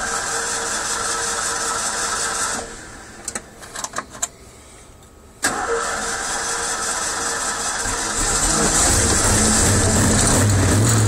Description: stoped at the gas station and camo out and didnt want to start up but i got it